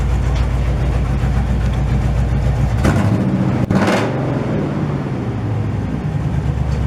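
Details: 1968 GMC truck, first start in 20 years after buildup: deep, loud, steady V8 idle with one quick throttle blip settling straight back; runs smooth, very loud exhaust.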